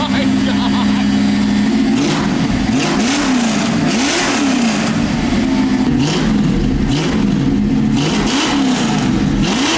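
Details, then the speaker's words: Freshly supercharged V8 in a '65 Mustang: repeated throttle blips rise and fall smoothly and evenly with no stumble or misfire; a healthy-sounding engine. "it sounds all right that sounds awesome"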